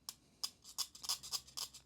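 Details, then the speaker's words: File test on a cassette: about seven short, bright scraping strokes, the file biting only slightly and mostly skating over the teeth; hard, fairly uniformly hardened teeth. "yeah the file it bites in ever so slightly but yeah skates pretty nicely over the top of um yeah all these teeth"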